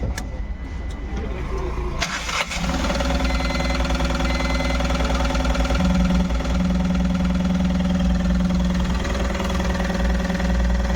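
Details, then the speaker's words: Tata Ace Gold BS6 diesel after crank sensor no-signal fault fixed and code cleared: short crank, catches at once and settles into a steady even idle; restarted normally. "लेकिन अभी जो हमारी गाड़ी starting problem के लिए आई थी व गाड़ी स्टार्ट हो गई है रही वापस से बंद करके स्टार्ट करेंगे"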